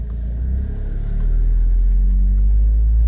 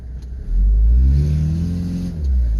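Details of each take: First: 1995 Toyota HiAce van, 3.0 L non-turbo diesel, automatic, driving after timing belt and water pump service: loud, deep booming rumble swelling under load, far too throaty; exhaust leak from a hole in the muffler. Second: 1995 Toyota HiAce high-top camper van, 3.0 L non-turbo diesel, automatic, test drive after timing belt, water pump and hydraulic alternator replacement: deep diesel note climbs smoothly and evenly under acceleration, no knocks or misses; healthy, peppy.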